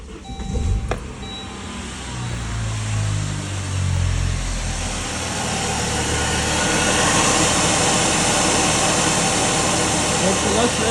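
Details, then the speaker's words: Saab 9-3 first generation (B205E engine), started after serpentine belt replacement, air filter box off: fires and settles into a smooth, even idle with no squeal or chirp from the belt drive, less noise than before; normal idle. "less nois than before a good idea is to know test if it works by getting on some RPMs to listen for any sounds"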